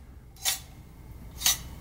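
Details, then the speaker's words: Commodore Amiga 500's Chinon F354E floppy drive, removed from the computer and moved by hand: two short, sharp tinny rattles about a second apart. A 3.5-inch disk shutter was found loose inside the drive. "some sort of rattling sound which doesn't really sound great."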